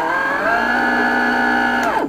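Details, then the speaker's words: Sensored BLDC motor (Astro 3220) on a small controller with electronic timing correction switched off: harsh, strained multi-tone buzz, enormous current draw (about 7-8 A versus 4 A corrected), then winds down and fails; noise from uncorrected commutation timing. "I'll take the electronic correction off, and we'll run it again. And you see we got that horrible noise and an enormous current, and the thing actually fails"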